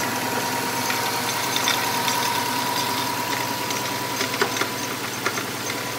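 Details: 2005 Subaru WRX, heard one morning: idle carries a thin, steady high whistle that cuts out after about four seconds, with scattered irregular ticks. A shop couldn't identify the cause.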